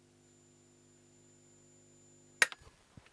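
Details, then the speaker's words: Vintage valve TV set (TV22) at power-up, line stage starting: faint high whistle and low hum, then a sharp crack and the whistle dies; something failed suddenly, now drawing minimal current. "Whoa! Something failed spectacularly. What happened there? We appear to be drawing a minimal amount of current, so something has just let go."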